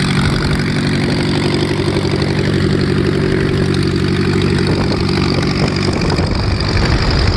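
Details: VW Type 1 air-cooled engine on its first run after new valve adjustment screws: steady idle with an even low beat and no valve clatter or tapping. Normal idle.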